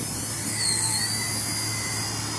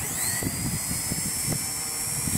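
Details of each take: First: Blade Nano CPX on the stock old 45C 150mAh 1S lipo, windy day: high electric motor whine dips and strains, bogging badly as pitch is added at idle up; the tired battery lacks punch and sags. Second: Blade Nano CPX with brushless kit on a new Charsoon 3.7V 250mAh 1S 30C lipo, replacing old 150mAh packs that hit low-voltage cutoff: rotor whine climbs and holds at full power, no sag or cutout, kicking the tail out on punch-outs.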